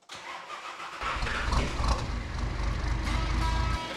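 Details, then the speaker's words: Nissan Patrol diesel on first start after the new 11mm boost-compensated injector pump was installed dry and bled: brief crank, catches quickly and settles into an even diesel idle, healthy, showing the pump timing is correct. "sounds very healthy [Music] yeah oh sounds perfect oh it runs really well that's awesome"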